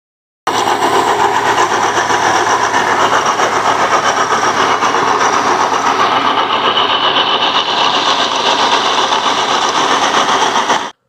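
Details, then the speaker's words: Hyundai Trajet power steering pump with a harsh, gravelly rumble running steadily beneath the engine; the owner suspected a cracked bearing, and disassembly confirmed the pump bearing was broken. Power steering pump bearing failure. "nah ini tersebut benar sekali bahwa suara kasar yang terdengar di awal video tadi memang berasal dari baring yang pecah-pecah"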